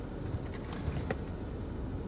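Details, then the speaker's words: Ford 6.7 Powerstroke diesel pickup back at a normal 500-600 rpm base idle after its catalyst warm-up: low, quiet, even rumble. Exhaust filter 35% full and boost 0, so it was not doing a regen. "I'm idled back down to about 500-600 RPM."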